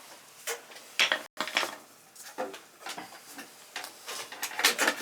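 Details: Amtrol indirect water heater giving no hot water: sharp irregular clicks over a quiet room as the controller relay chatters on and off trying to fire the boiler; the control shows no continuity and is not calling properly.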